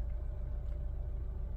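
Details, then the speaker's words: 2007 Honda Civic after repair for cylinder 2 misfire (P0302) and P0420 codes, engine light now out: steady, even low idle rumble with no stumble or skipped beats, sounds healthy. "the good news is my engine lights out let turn the car off pull the key put it back in starting up"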